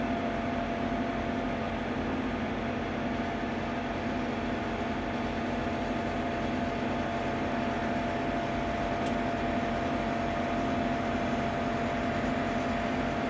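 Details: Ninja Foodi 8-in-1 running cold in this recording (owner says the unbearable noise comes after warming up): constant droning hum with a fixed high tone, unchanging; loud fan running noise, cause unclear.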